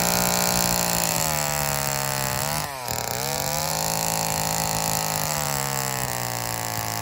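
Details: Old Homelite chainsaw, owner guesses 1960s or 70s, after reassembly: high buzzing two-stroke bogs briefly as it bites, then recovers and holds; pulls strongly and runs clean, though owner says it could run a little better.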